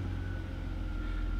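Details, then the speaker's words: BMW E46 3-Series after fuel pump replacement: key cycled several times to prime the fuel system, then engine fired up; steady, even low rumble with a faint constant tone, no misses, knocks or rattles; normal start and idle. "so i just do that a few times prime the system the best we can and then fire it up"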